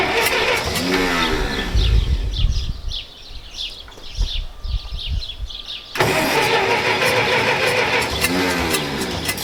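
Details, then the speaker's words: Massey Ferguson 65 tractor after carburetor work: repeated labored cranking bursts, engine catches briefly, dies, cranked again; owner says the starter has issues; hard starting, won't keep running. "the starters not working right that's what's wrong with the saints why we quit using the starter has issues"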